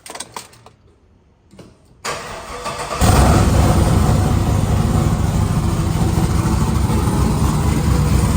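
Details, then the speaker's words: 1999–2006 Chevy/GMC GMT800 Silverado/Sierra V8 first start after Flashark long tube header install, open straight pipe before turbo hookup; brief cranking, catches near three seconds into loud, deep, lumpy but steady idle, normal. "God, is that obnoxious? Oh, I love that feeling when you just fire it up and it's all straight pipe. Man, what a sound."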